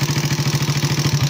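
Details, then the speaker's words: Suzuki Raider 150 at idle before repair: rapid, even ticking about eight per second riding the idle beat; excessive valve clearance from over-ground, shimmed non-original valves. "Yan, kumakinggan nyo, puro lagitik yung tunog na itong ano."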